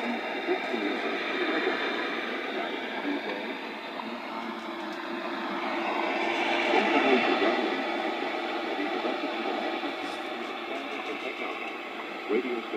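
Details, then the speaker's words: Radio Shack DX150A shortwave receiver from the early 1970s, previously dead, after resoldering joints and replacing leaky capacitors, tuned to WWV at 5 MHz: steady static hiss with faint station voice; working normally. "touched up all the solder joints and finally and replaced a couple of old leaky capacitors and by golly the whole the thing has come back to life so let's listen to WWV or five megahertz"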